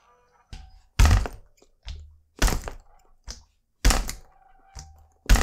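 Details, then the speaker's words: Bicycle rear chain without chain tensioner while riding: dull uneven thumps about forty per minute as the loose chain slaps the frame. "so jetzt hören wir uns erstmal einen wie sich die kette hinten anhört ohne den ketten spanner"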